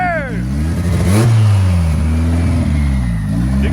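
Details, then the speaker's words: 1995 Honda Civic with turbo B20 and VTEC head, first boosted startup while warming up: revs rise and settle as a thin whistle rises and falls with throttle; clean turbo spool, no rattles, no boost, vacuum or oil leaks. "you can hear that turbo spooling there's no guy yelling [Music] so if you guys can hear the turbo spooling there's absolutely no leaks"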